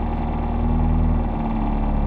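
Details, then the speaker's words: McLaren 765LT Spider, owned two months, idling in the cabin with AC on: steady deep hum and low droning throb. Owner says sound deadening is removed and believes the engine mounts straight to the rear subframe, so vibration resonates through the cabin; considered normal. "so because it is an lt these guys absolutely removed all the sound deadening i believe they mounted the engine straight into the rear subframe and literally every single vibration in the car resonates through the cabin up your ass and into your soul"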